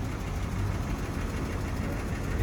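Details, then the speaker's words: Chrysler Pentastar V6 at 200,000 miles: rough, uneven idle with a muffled top-end clatter rather than a high-pitched tick; a long-running lifter tick has chewed into the camshafts, and the engine skips and needs replacing. "It's not even making the high pitch tick anymore. It's more like I don't know. It done chewed into the cams really bad."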